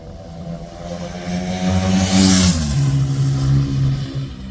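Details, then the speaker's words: Suzuki RE5 rotary motorcycle, outdoors after carburetor overhaul and setup: smooth buzzy note swells cleanly through a rev and settles back without stumbling or popping; normal running with carburetor set up correctly. "So we did start it just to make sure it would run, but we'll fire it up so you can hear how they're supposed to sound when the carburetor's set up right."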